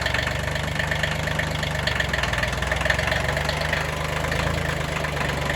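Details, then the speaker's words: Kubota B6100 diesel tractor after replacing a worn clutch pilot bushing and reassembly: steady, even low idle chug with no drivetrain clunks or rattles; running normally, no issues. "No issues."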